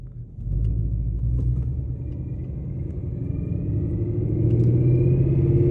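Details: Ford Mustang GT, 800 whp, stage 3 built transmission with straight-cut gears, pulling from first gear, still a little cold, light throttle: clear gear whine rising in pitch with road speed over the engine; normal straight-cut gear whine.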